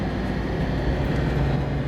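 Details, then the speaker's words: 80 Series Land Cruiser turbo diesel, warm after a half-hour drive, following timing, valve clearance and fuel pump corrections: a deep, steady drone pulling evenly under load with no knocks or misses. Pulls much better than before; boost 0.9. "There is some torque. Pulls a lot better than before."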